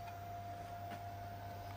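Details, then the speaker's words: AIMS Power 1250W inverter charger that blew 300A battery fuses, bench-powered from a 5 A current-limited supply: steady thin high whine over low mains hum from a noisy filter capacitor. "So I hear that filter capacitor I showed in the previous video making noise."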